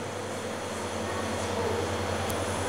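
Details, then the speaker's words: Homemade refrigerant recovery machine, compressor running during recovery while one pressure rises and the other falls: steady low hum with a smooth, even tone, no knocking or rattling; running normally. "Lo pongo así para que vea si se escucha el ruido. El compresor. La presión está subiendo."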